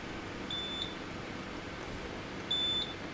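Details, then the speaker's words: HP T1500 G3 UPS running on a 36 V sealed lead-acid battery pack with about 400 W load: short high beeps about every two seconds over room hum, low-battery alarm as pack is presumably below operating voltage. "so I can't s that alarm it must be sends the battery light to flash it must be below below it's operating voltage"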